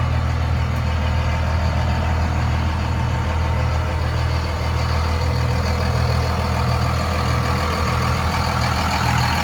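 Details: 2001 Dodge Ram 2500 4x4 with 5.9 Cummins diesel, 6-speed manual, 81,000 miles, fully serviced: deep, even diesel clatter with a steady low exhaust rumble and no misses or knocks; a healthy idle.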